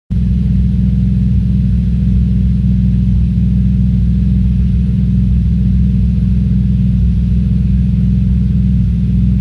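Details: Audi S4 B5 cold start idle, heavy low rumble stumbling unevenly: misfire while the engine is cold.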